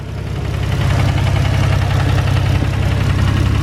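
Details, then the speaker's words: Nissan 350Z VQ V6 drift car at idle: deep uneven knock about three per second from low in the block, sounding like rod knock, but owner says it turned out not to be rod knock; cause not yet identified. "can hear it's like down there excuse the valvetrain noise right so uh that sounds like at the bottom end of the block it could be rotten"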